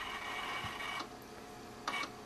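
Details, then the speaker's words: Power Macintosh 6500/275 with an IDE hard drive: after an earlier "click of doom", the failing drive makes weirder noises, a steady faint whir broken by two short scratchy bursts about a second apart as the heads seek abnormally. "okay it started making weirder noises"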